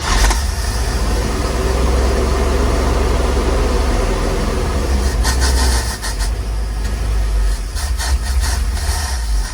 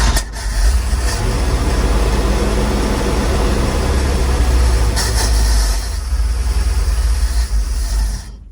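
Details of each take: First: 1948 GMC COE truck six-cylinder started after years of sitting, primed with fuel down the carburetor: settles into a steady, even low idle with no misses or knocks; sounds healthy though the carburetor needs cleaning; normal idle. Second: 1948 GMC cabover truck after years sitting, started on button with a little choke: deep loud running that sags and stumbles while cold. Choke has no cable and opens immediately with airflow; carb popped flames, needs rebuild.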